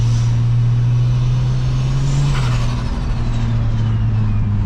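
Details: Ford Fairlane with automatic gearbox, just after a turbo swap (old turbo had started going bang), recorded during a gentle cruise. It gives a steady, smooth low drone with a faint turbo whistle, pulling cleanly.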